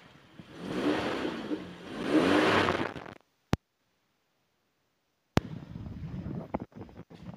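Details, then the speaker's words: 1995 Toyota Kijang Grand Ekstra 1.8 KF52, dry engine with no smoke: revving the RPM up twice gives even, smooth swells, a big but smooth sound with no strange noises, misfire or knock. No white exhaust smoke; the engine is judged in good condition. "kita coba kita sedikit naikkan RPM kita cek suaranya dengar ya raungan Kijang khasnya seperti ini mesinnya suaranya gede tapi tetap halus"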